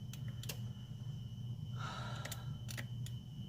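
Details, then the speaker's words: 2010 Honda Pilot with EVAP codes (P145C, P0497, P0455, P0456); the engine-bay purge solenoid is unplugged and powered straight from the battery. It gives a few faint, thin ticks instead of a crisp snap, so the purge solenoid is faulty and not clicking properly. "You can hear the solenoid. Doesn't sound normal, doesn't click properly."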